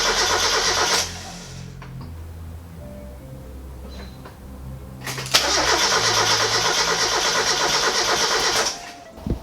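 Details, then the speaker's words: NA Miata engine just reinstalled with intake fitted, oil and coolant added; two bursts of brisk cranking, a few seconds each, never catch or fire because the fuel lines were reversed, so no fuel reaches the engine. "right so I've been at it for a while now and it doesn't seem to want to start"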